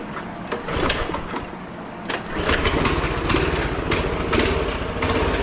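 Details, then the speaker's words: Small single-cylinder minibike engine at a steady, even, healthy warm-up idle after a couple of minutes of running, on its first test start after a strip-down and new parts. It "runs like a kitten" and is nearly warmed up. Normal idle. "Oh, there we go. Maybe my dumbass didn't do that, but runs like a kitten. She's purring, so she's pretty much warmed up."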